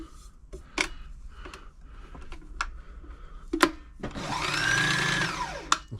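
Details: Frister & Rossmann 904 sewing machine during service, start mechanism rubber checked and oiled: after handling clicks the motor spins up to a brief, even whir and settles cleanly; runs free and healthy.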